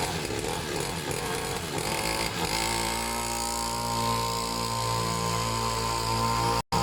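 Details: Serviced pit bike / mini moto two-stroke being set to idle on its own; catches unevenly at first, then settles into a steady, even idle; slightly smoky, owner plans an inline fuel cut-off; normal idle.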